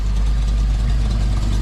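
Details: 1965 Mustang with a 347 stroker small-block Ford, on perhaps its second-ever start after the exhaust was welded and the O2 sensor bung located. A deep, steady V8 idle with an even low rumble and no knocks or misses; healthy.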